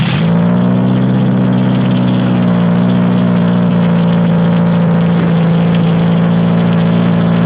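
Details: Homemade air compressor driven by an 80 hp Toyota Hilux engine through a pulley off the pressure plate housing, first test run of the new engine mount: spins up fast, then holds a steady, even hum, no knocks or surging; runs smoothly.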